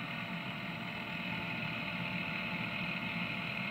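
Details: New electric fuel priming pump (replaced under warranty after the old one failed to fill the filters), run after changing fuel filters to prime them: faint, even electric hum with steady high buzz, no surging or chatter; running normally.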